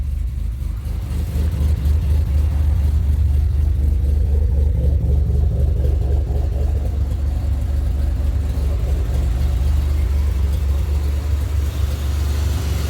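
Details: 2007 Pontiac Grand Prix GT after a crank-no-start: missing #15 PCM fuse (rated 10 A) filled with a 15 A fuse, and it just about fired right up. Smooth, even low idle with no misses, knocks or hunting; starts and runs normally.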